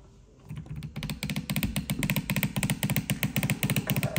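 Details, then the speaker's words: Shark steam mop model S3601 with a cover piece removed, filled with water: quick even clicking pulse near four a second, rattling; owner suspects the pump motor, which also pushes out excessive water. "One thing I noticed is this piece was, because when I was making weird sound, I think it's coming from this motor, and because it's pushed excessive water out from here, and this, I removed this piece."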